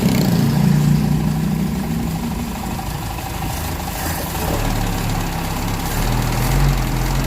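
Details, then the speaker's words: Car engine after replacing the missing distributor spring and reinstalling points timed at piston 1 top. It previously idled rough and felt heavy at low rpm, like a dead plug. Low, steady, even idle with no stumble. Normal idle. "ini bagus ya Jadi untuk semuanya ini sudah normal sudah sedia kala lagi Bahkan ini di RPM bawah pun ini gak ada gak ada Brebes gak ada kendala ini Langsa merata"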